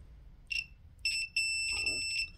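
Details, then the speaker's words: Heatrae Sadia Electromax heating fault finding: multimeter continuity test across the fuse protecting the pump, clear high-pitched chirp then longer steady beeps; fuse intact. "you can hear it's okay so we did those checks just going back to the basics checking the fuse is okay the pump's okay"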